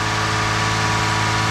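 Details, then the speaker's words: First start after timing belt replacement with CSW special tools and throttle body cleaned, so idle is high at first; some smoke from old oil burning off: steady, even raised idle, no knocking or slapping from the belt end; normal idle. "Contact! So far so good. Sounds pretty good. It didn't blow up right away,"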